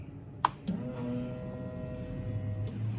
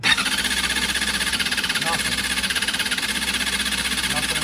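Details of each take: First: 2005 Honda CBR 600RR that sat 5-6 years, fuel pump replaced, won't start without starting fluid: key-on click then steady electric hum for about two seconds; normal fuel pump prime. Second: 2005 Honda CBR 600RR, sat 5-6 years, new fuel pump, ran once, then after battery and oil change: pump primes, starter whirs about five seconds with no firing; runs only on starting fluid, cause unknown.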